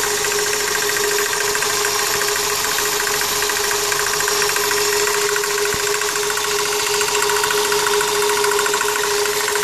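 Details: 1999 Toyota Corolla at idle: intermittent rough knock about three a second over constant accessory hum, seemingly from power steering pump pulley, pulley checked tight; owner suspects pump bearings or belt tensioner, increasingly frequent.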